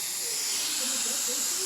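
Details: Samsung DVM S heat recovery system, refrigerant leak error, no heat, pressurized for testing: steady sharp high-pitched hiss of gas escaping through a hairline crack in the piping.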